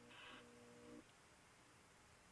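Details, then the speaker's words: Stromberg Carlson console radio Model 340 F with motorboating, squealing and parasitic oscillation issues: faint buzzy tones for about a second, then they drop out to a quiet hiss; reception is distorting and cutting out. "motorboating no that ain't even motorboating that's that distortion and if i i'll leave it alone distortion receiving distortion"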